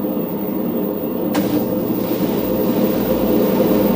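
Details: LG ventless washer/dryer combo running with clothes loaded, before bearing and seal replacement: constant hollow rumbling roar as the drum turns, no clean hum; worn drum bearing rumble. Owner also questions a tilting suspension piston.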